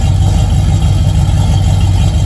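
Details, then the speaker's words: 1981 Camaro V8 with its timing just fixed and misfire gone, before repairing intake and thermostat-housing oil and coolant leaks: deep, even idle burble, steady and smooth with no squeal or knock; sounds healthy. "i just love the sound this motor it sounds good"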